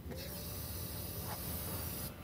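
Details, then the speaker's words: Audi A6 with ignition fault codes incl. P1393, engine off, fuel pump and coil powered via jumper wire: soft steady hiss with low hum, no knocks; just fuel flowing through the fuel rail, normal. "now don't worry about the sound you hear that's just the fuel going through the fuel rail"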